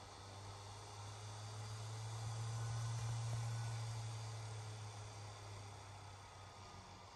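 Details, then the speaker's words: Atomos Ninja V Plus monitor cooling fan, recorded in a quiet room: steady low hum that swells and fades with a faint regular tick; fan noise, cause unknown. "so fan still making a bit of noise now i'm going to power on the camera send it a signal so that doesn't really affect anything"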